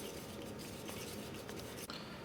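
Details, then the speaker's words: 1966 Panasonic RQ-156S reel-to-reel tape recorder after restoration: steady, even whirring rustle of tape spooling fast on rewind, smooth unbroken drive; rewind is strong and healthy. "turn the rails around hit rewind rewind is nice and strong"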